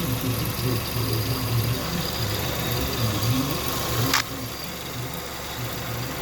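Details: 2006 Kia Sportage 2.0 L idling: irregular chirping and rattling from the belt area, from the idler pulley; possibly needs replacing or the tensioner adjusted.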